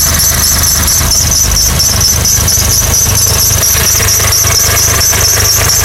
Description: Weird engine sound from my 2006 Honda accord